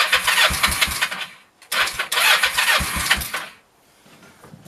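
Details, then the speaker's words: 1996 Kawasaki Vulcan 500 being revived after carb removal, at about 28°F: two bursts of fast, uneven cranking that never catch; owner suspects idle set too low or too cold, later fired after heat-gun warming; cranks but won't start. "right it might just be too cold I don't know"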